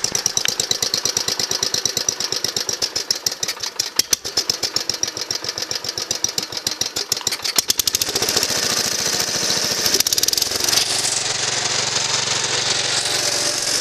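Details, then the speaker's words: Gravely Commercial 12 walk-behind tractor, single cylinder with converted points and a newly added push-button starter, cranks with sharp firing pulses, then catches and runs evenly and smoothly with no knocks. Normal running. "so here i'll start it up for you as you can see she's running real"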